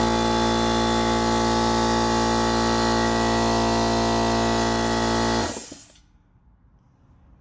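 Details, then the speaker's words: Central Pneumatic 2 hp, 8-gallon, 125 psi air compressor that had struggled to start, after replacing the capacitor: a strong, steady motor drone with an even pump beat near four per second, then a clean shutdown, so it runs properly. "One more time. Well, looks like I have a working compressor."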